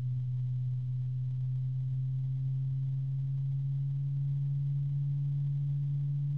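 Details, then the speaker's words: Cooljag Everflow FB14025SL 3-pin fan with EBR bearing, microphone right next to it: smooth deep constant hum with faint higher harmonic ring, no ticking or rattle; normal running. "just got to be careful and it's a nice quiet start a nice deep tone coming out of this thing"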